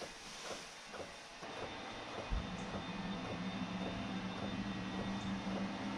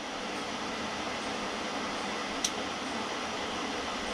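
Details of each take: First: Newly installed Webasto Air Top 2000 STC gasoline heater in a ProMaster van, second start attempt; soft even ticking about twice a second over steady fan hum as the dosing pump feeds fuel, still cold air, green light, then warm air follows. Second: Newly installed Webasto Air Top 2000 STC gasoline heater in a ProMaster van; steady blower air rush with no combustion roar after a failed light-up and error flash, fan running on in an apparent cool-down cycle while switched off.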